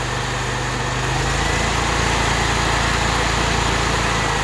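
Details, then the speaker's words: Small engine on fire-department Polaris UTV pump skid, just started without pre-run, at half choke: steady, even idle at constant beat with no misses, knocks or rattles; running healthy. "So I run about half choke. Sounds good. Can't beat"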